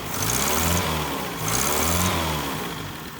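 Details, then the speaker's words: 1979 Honda Civic 1200 after 16+ years sitting, running about five minutes with timing roughly set: small four-cylinder blips twice and settles back smoothly, firing evenly without misses or knocks; running well. "seems like it's running pretty good at whatever it's set"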